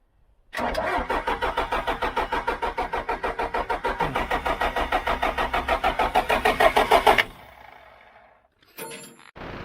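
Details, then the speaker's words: John Deere 310G backhoe diesel after a long-awaited part was fitted: cranks about three turns a second for six seconds with white smoke, never catches; hard starting. "White smoke. Sorry, one time. Man, that sounds like it wants to. Wow."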